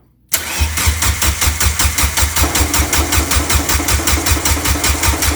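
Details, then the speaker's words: Turbocharged Suzuki Forenza on first start after a new turbo and header, fuel pump fuse pulled to prime: steady cranking at about two and a half turns a second with no firing; air in fuel line, then fuel arrives; possibly old fuel. "oh more air yeah nice oh yeah it was all air oh now it's fuel"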